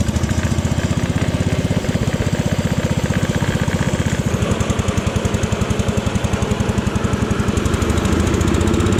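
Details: Jacobsen Chief 1000 tractor, Kohler single-cylinder, after fuel system repair, testing electric PTO mower deck: steady even firm chug staying smooth as the mower deck loads it; runs and operates pretty good.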